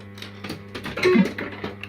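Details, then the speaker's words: Second System80 machine with the same board and setup as the faulty one, for comparison: short guitar jingle plays crisp and clean with no crackle, hum or distortion; normal sound output. "Nice and crisp. So that's perfect."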